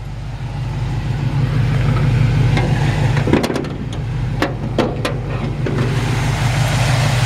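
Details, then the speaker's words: 1951 Ford F-1 with a 350 V8, 350 Turbo automatic and new dual exhaust, at idle: steady, even, deep low burble with no knocks or misses; normal smooth idle. "got new dual exhaust it really just purrs like a kitten"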